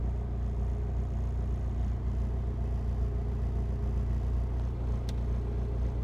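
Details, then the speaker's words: Idle on a 1997 Honda Civic D16 after installing Yonaka motor mounts, stiffer solid/full-filled units replacing weak ones: steady low rumble with coarse buzzy shake, body vibrating much harder than before, transmitted straight through the stiff mounts. "oh did you hear the vibrating put my hand on here like this shape way harder than before"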